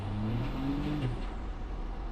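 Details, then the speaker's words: 1967 Ford F100 with a swapped 12-valve Cummins diesel on a test drive: above quarter throttle in any gear the drone climbs in pitch without pulling harder, about 1,000 rpm of clutch slip, and the clutch needs replacing. "It needs a clutch really bad. Like I can't do anything with it, like any more than quarter throttle on the clutch slips."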